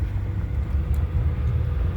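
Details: 2011 Honda New Fit, 158,000 km, after subframe work and alignment with camber set: driving over undulations that used to cause a lot of noise, now only low steady road rumble, no front-end clunks or knocks.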